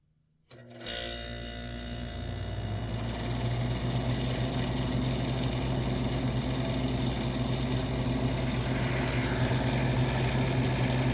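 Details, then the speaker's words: 1978 Gibson Air Sweep 5900 BTU window air conditioner with Tecumseh AE reciprocating compressor, started on low cool: steady hum with rhythmic scuffing about three times a second as the condenser fan blade rubs its shroud; the fan needs balancing. "the condenser fan is rubbing against the shroud unfortunately so I got to take this apart clean it out"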